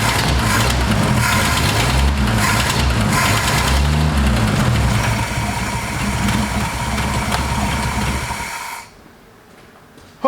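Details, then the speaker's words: 1960 Ford F100 sat 8 years, first run on temporary fuel supply, no coolant (missing freeze plug): even, steady low V8 burble at idle, no misses or knocks, no smoke; idles smoothly. "I'm very very excited to have this thing running and it idles so smoothly. It doesn't even smoke."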